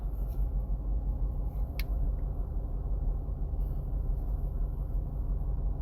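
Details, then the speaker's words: 2015 VW Passat 1.8 turbo, 09G transmission, during IS12/IS20 wastegate adjustment, hot engine at idle, not driven for 5-10 minutes: soft, steady low rumble, no ticking or hunting; normal idle. "Again, engine's running idle right now. Engine's still pretty hot"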